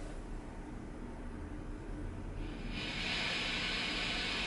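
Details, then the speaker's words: Marshall Valvestate 80V amp after master volume re-soldered and pots cleaned, distortion turned all the way up, humbucker guitar with volume down: soft steady hiss rising with gain, slight buzz, no crackle; normal amp self-noise. "now you're definitely hearing a little bit of Buzz and this is with the humbucker on so let me turn the volume down on the guitar to hear just the self noise"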